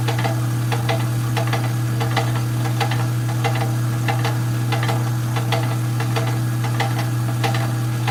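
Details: Rock-cutting saw: loud steady motor hum with irregular sharp knocks about one and a half per second; cause unclear.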